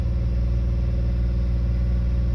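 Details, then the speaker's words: 1989 Chevrolet Celebrity base model, 205,000 miles, with vacuum leaks causing idle problems: steady, fast drone stuck at high idle that won't come down, too high to put in gear; pedal sticks when first touched, idle air control suspected. "Not revved up that high with pedal sticks really bad when you first touch it. I don't know what the deal is up with that, but we're looking into that, too."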